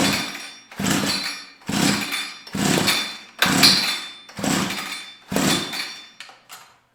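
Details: Tecumseh TC300 two-stroke ice auger, non-starting, spark plug possibly flooded with WD-40: seven weak recoil pulls, each a brief whoosh of turning over with no firing; no-start cranking, low compression from worn rings.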